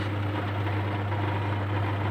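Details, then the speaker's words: Sharp manual washing machine after replacing the pulsator and gearbox, which had run very rough and noisy before: a steady, even low hum with no knocking or grinding; the wash motor and pulsator now run smoothly. "Nah, halus, berhasil halus. Oke, misi saya berhasil."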